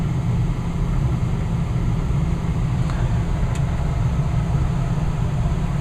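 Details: Westinghouse gas furnace, installed new in April: thermostat turned back down to 68, burner off, the blower keeps running and winds down to slower speed before shutting off, a smooth, deep, even hum with no rattles or scraping; normal run-down.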